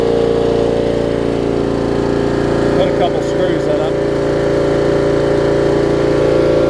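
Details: 30-year-old Murray riding mower with Briggs & Stratton Vanguard engine, revived with fresh gas, new fuel line and an oil change: smooth, even hum with no misses or knocks; running properly.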